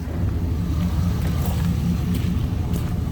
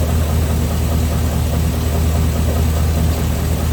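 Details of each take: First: 6.0 LS V8 after replacing spun rod bearings, engine neither fully warm nor cold, oil pressure just over 30 psi: even, deep idle with smooth low rumble and no knocking from the bottom end; normal idle, sounding healthy. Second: 6.0 LS V8 at idle after raising the rev limiter, before teardown; deep uneven knocking under the rumble until shutdown, owner suspects spun rod bearing on bent rod number 7: rod knock.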